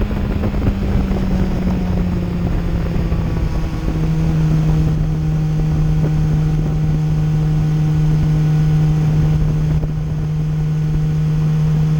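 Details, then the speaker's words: 2008 Yamaha FZ1 after replacing the ignition coil, riding at steady speed: an even engine drone at constant pitch under wind noise, with none of the earlier stutter, misfire or hesitation below 4,000 rpm; it now runs cleanly. "Swapped out the coil. Now she rides like a dream."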